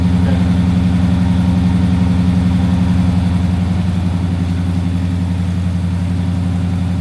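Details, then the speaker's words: 20-foot Daimler Majestic Major Hemi V8 limo just started on choke, still cold; deep, even burble about four pulses a second, a little shaky from the cold, no ticks or knocks. Normal cold idle. "well that is a nice deep Rumble that's nice that that sounds really [Music] lovely little bit cold a bit shaky sounds really nice doesn't it"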